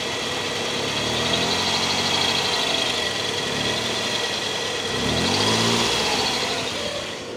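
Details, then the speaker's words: Mitsubishi 3000GT idling after several minutes of running, with belt and pulley trouble since an alternator replacement; quick high chirps from the accessory belt persist despite three retensions and an alternator realignment. The cause is still unknown to the owner. "So, that little chirp sound is still here. I've tensioned it like three times."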